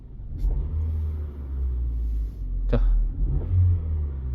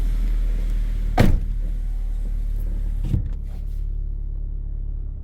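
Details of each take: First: 2009 LPG car, 163,000 km, after replacing worn engine mounts that had shaken the dash, wheel and seats: low, even idle rumble with steady beat, no shaking or knocking; vibration gone. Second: 2009 LPG car, 163,000 km, just started at idle: heavy droning rumble with coarse shake and thuds, steering wheel and seats shaking badly; worn engine mounts.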